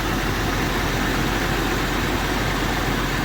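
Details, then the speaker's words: 22-year-old four-wheel-drive Jeep with 165,000 miles idling: a smooth, even hum with no ticking or knocking. It runs very well, a normal idle. "fire's heard up sounds good no knocks no ticks runs very well"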